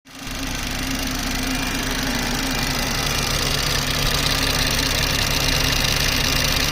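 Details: BMW 340i F30 B58 petrol engine idling: loud, sharp, fast ticking over engine sound; goes away as rpm rises and returns when rpm drops; owner asks if normal.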